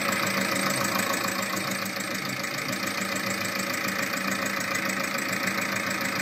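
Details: VAG 1.9 TDI 105 hp diesel at idle: a sharp, even ticking of about three and a half per second over a steady idle, from a defective hydraulic lifter.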